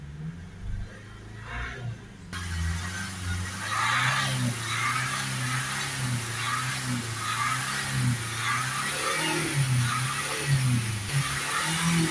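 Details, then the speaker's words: Renault Espace 2.0 dCi diesel with a badly blocked DPF (about 500 mbar at idle, sensor maxed at 1999 mbar near 3000 rpm). Right after DPF cleaning fluid is injected, hard revs to clear it rise unevenly and stumble. The engine struggles to rev and stutters, with heavy smoke. "Try and give it some hard revs just to get it cleared out. You can hear there the vehicle is struggling to rev up, it's sort of stuttering."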